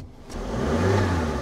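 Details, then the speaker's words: Cheap UK auction-bought three-cylinder car: short, clean throttle blip rising smoothly from idle with no rattles or misfires; the little three-cylinder sounds all right. "But little three cylinder sounds all right."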